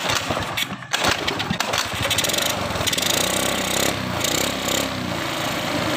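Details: Honda Beat scooter converted from fuel injection to carburetor, first test start: the small single-cylinder buzz catches after a rough start, then settles into a steady, even run with no knocks or misses.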